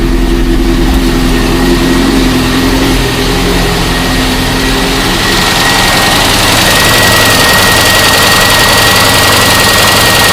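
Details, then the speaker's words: VAZ 21099 (2002) petrol engine idling with a dull repeating knock, about four a second, under the running noise; suspected connecting rod knock, checked by hand at the piston. "тут застучало походу сатунчик проверка очень простая"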